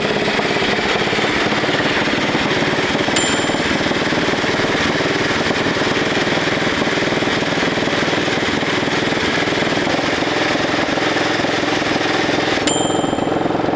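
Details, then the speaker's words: Pony motor on a 1941 Caterpillar dozer that had been sitting for years: a fast, even popping beat, running steadily with no misses. "Okay, we got the pony motor running. Couldn't quite get the flywheel in gear to engage the big motor."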